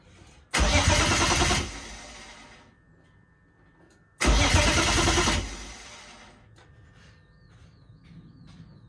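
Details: BMW E30 with open exhaust, during fault diagnosis with INPA: two loud starting bursts about a second each, then the engine sags and won't hold a steady idle; unstable idle, cause not confirmed.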